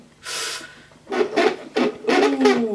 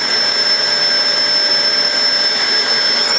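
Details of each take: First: Hoover Sensory Floormaster TS2265 bagged cylinder vacuum, new unboxed: short rasping scrapes in bursts as the flex is pulled out of the cord reel; owner suspects dried-out mechanism needing grease. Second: New UK-made Hoover Sensory Floormaster TS2265 bagged cylinder vacuum; steady high whine climbing as suction is turned up to maximum, no rattle or grinding, over 400 air watts, healthy motor.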